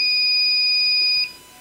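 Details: Microtek inverter with hanging control IC and on/off switch not working: continuous high-pitched buzzer tone, then abrupt cutoff, overload indication that comes and goes when the heatsink is touched; fault traced to control circuit pin 21 supply; inverter overload alarm.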